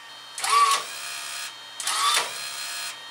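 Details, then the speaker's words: Fujipla ALM series laminator cutter unit, cutter drive wire tension loosened at adjustment pulley: two quick whirring bursts with clear mid whine then steady light hum; cutter motor spins faster and runs freely, before the wire slips with looser settings. "how fast and how much faster that cutter motor is running"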